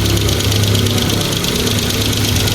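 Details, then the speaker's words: 2015 Kia Picanto, towed in not starting with blinking temperature light: steady idle with fast light valvetrain-type ticking; attributed to lack of maintenance, scan still needed. "Pero kailangan ma-scan tapos malagatik ang makina. Lock of maintenance to."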